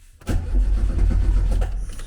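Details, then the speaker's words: 1974 VW Beetle 1915cc on MaxxECU EFI, base timing to be set at 10° BTDC: quick even starter chug about 1.5 s, no firing; crank no start, config file was set for wasted spark. "right, why is it not starting? Let's have a look and see."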